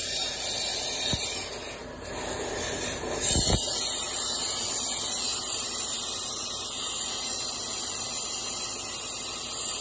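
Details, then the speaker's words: Volvo truck: a steady, high-pitched hiss with no engine note under it. Air brake system leak that seemed to come from the exhaust or air dryer but was at a valve on the frame rail. "oh yeah we got a we got an air leak which is kind of funny it sounds like it's at the back of the motor it sounds like it's by the exhaust it sounds like it's at the air dryer and it's not it's up on the on the frame rail at a valve"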